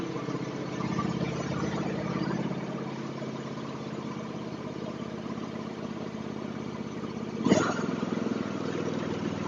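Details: John Deere X324 riding mower after repair of rich running, outside with the blade engaged: steady, even single-cylinder putter with no misses or knocks. Smoke is from unburned gas in the muffler and should burn off.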